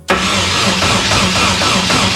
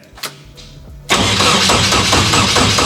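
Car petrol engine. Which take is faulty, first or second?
second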